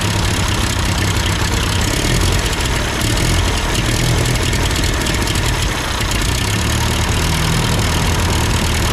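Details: Ford 8N tractor idling after an amateur adjustment of the carburetor: rough-edged but steady low rumble holding even speed, no stumbling or hunting; sounds good, normal idle.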